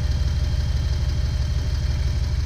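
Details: 2008 Jeep Wrangler with a flashing check engine light and misfires on cylinders 2 and 5, after the owner already replaced coil, plugs and wires: a deep, uneven idle with a loping exhaust stumble; a faulty engine computer is not firing coil 2.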